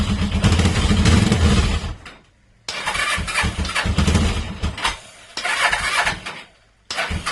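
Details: Carbureted inline motorcycle engine after timing chain replacement: fires and idles, then is shut off and restarted twice. Even idle with no grinding or knocking; the earlier grinding noise at 5–6000 rpm is gone.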